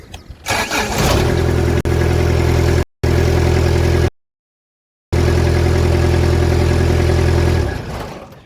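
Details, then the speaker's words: Kubota F3680 diesel 4x4 72-inch mower: it had earlier run out of fuel through a weak-battery fuel pump, and the injectors were cracked and bled. Now the starter catches quickly and the engine settles into a smooth, steady low idle; normal start and idle. "seems to check out and everything's got a good clean bill of health now she starts up and runs great"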